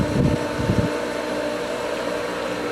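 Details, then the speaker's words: Pool pump while opening a winterized skimmer: a few deep churning surges, then a steadier humming run; pump cavitating on air in the lines, lost prime and slowly catching it again. "a lot more air the pump is cavitating looks like it lost Prime"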